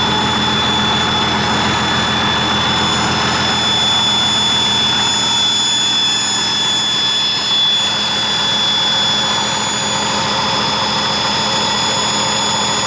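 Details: 1959 Caterpillar D337F diesel genset, about 959–960 hours, long stored in a barn, first run after revival, no load, barely up to operating temperature: even steady hum with constant whirring tone, no knocks or misses; runs well.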